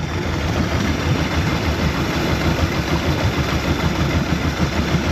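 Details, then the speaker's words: 2017 Mercury 90hp Command Thrust four-stroke outboard just after an IAC valve replacement cleared a 6-beep alarm: a steady, smooth low idle hum with no knocks; it still shakes slightly, which the owner suspects is a fuel issue. "I got a couple little pieces I need to put on there but yeah nice and smooth"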